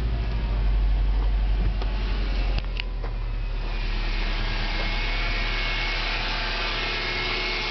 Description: My car making annoying whine sound.